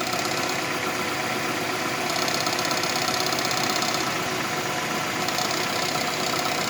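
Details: Renault Megane 2 cold start after sitting overnight: fast, tinny metallic tapping about four a second over idle, sounding like engine knock; a loose exhaust manifold heat shield, gone when warm and absent while driving.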